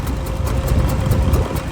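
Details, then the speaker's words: Subaru L series (Leone) with no fuel supply, kept running on brake-clean spray, throttle flat to the floor, strong wind noise: engine barely catches and chugs unevenly at low revs; rough, fuel-starved running. "It's running. It's not happy, but it's running."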